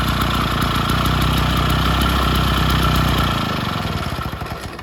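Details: Vintage Jacobsen two-stroke reel greens mower restarting on old spark plug, governor not yet sorted; catches and runs with quick, even, steady firing beat before winding down; sounds healthy.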